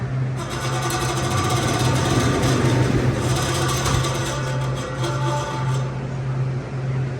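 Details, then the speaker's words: Rooftop CU 1A condenser unit for a dairy box: steady low motor hum with faint uneven rattle; worn bearings let the shaft rattle in one condenser fan motor, traced to the far fan. "I'm going to try to narrow that down a little bit better because those are bearings the shaft is rattling around in that motor so that is telling me that that is my motor"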